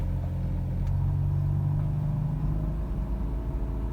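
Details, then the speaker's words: 2005 Mazda RX-8 Shinka automatic, cold idle after a fresh start, with new plugs, wires and cheap ignition coils: low rumbling idle wavers and sags toward stalling; owner suspects fuel pump or injectors, unconfirmed. "it's going to probably drop in rpm any time now i'm not gonna put any gas to it until it warms up"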